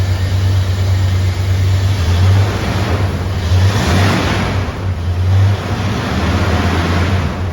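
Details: Chevy Silverado square-body V8 with Holley Sniper injection, just after catalytic converter removed, on jack stands: deep throaty idle with steady beat, louder than before, no ticking or exhaust-leak puffing; normal.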